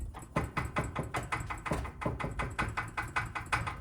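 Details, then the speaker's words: 2000 Subaru Impreza Outback Sport: hollow metallic clunks, two or three a second, as the exhaust is rocked against the underbody; rattle on take-off and bumps, first thought to be transmission, caused by a missing, ripped exhaust hanger bushing. "I almost thought that my transmission was going bad because I started hearing a rattling noise whenever the car would take off from a stop or, going over bumpy surfaces or roads and surfaces and stuff like that. Well, come to find out, one of the bushings has been ripped off."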